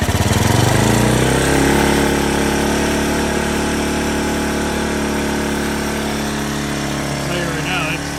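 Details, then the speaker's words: 1981 Yamaha SR185 started with choke off right after replacing the faulty original TCI (intermittent weak spark, sputter, bog, backfire) with an Ignitech unit; single fires straight up and settles to a fast, steady thumping idle with no sputter or popping, running normally. "Never ran that high at an idle at start. I always had to have that up prior. That was with no choke. That runs 100,000 times % better."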